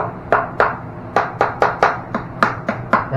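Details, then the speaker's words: About eleven quick, hollow taps on tile in a 1996-built house where sheet vinyl was laid: hollow sound means a weak bond to the floor beneath, unlike the solid sound of a strong bond. "means that well you you got a little Hollow sound going on that probably not a very good strong bond between your pinet"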